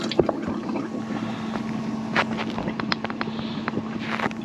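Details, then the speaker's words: Bailey motorhome fresh water system, submersible pump priming with taps closed: steady low electric hum under splashing and handling noise; pump running normally. "So there's the pump, and we're going to prime her up. So you can hear the pump, submersible pump. The submersible pump, and we're going to get that."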